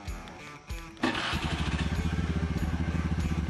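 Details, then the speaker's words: A 2014 Honda Beat FI scooter started remotely by double-pressing the V12 alarm remote's lightning button, with the key out of the ignition. A short starter whirr, then it catches at once and settles into a steady, even idle: a normal start. "Oke, Teman-teman. Di sini untuk mesinnya sudah bisa hidup sendiri walaupun kuncinya berada di tangan saya, Teman-teman."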